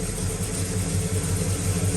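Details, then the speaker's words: Circa-1970 Pontiac GTO V8 after replacing the pushrods: deep, steady, lumpy but even idle with no top-end ticking; the valvetrain is quiet and healthy. "quieter what' you say yeah that's that's money right there H that's night and day"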